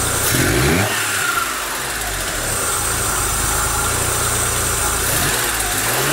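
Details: Daewoo Matiz engine, towed in, barely started: catches and runs lumpy, stumbling irregularly, never settling to steady idle; unstable running with misfire and heavy smoke, cause not yet known.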